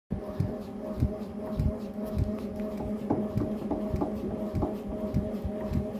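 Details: Tacx Neo Bike smart trainer used in ERG mode: dull knock repeating about every 0.6 seconds over a steady hum, in time with pedaling; tightening the left crank arm did not help, source still unknown.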